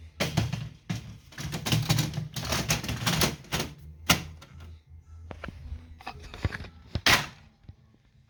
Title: faulty brother printer grinding noise